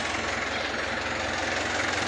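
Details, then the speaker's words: Kia Bongo diesel after no-crank fix (starter cleaned, solenoid wired direct due to bad battery relay), long unused; steady even idle clatter, no stumbles or knocks; normal idle. "Wala naman naging problema sa pagar Ayos [Palakpakan] naman mga boss"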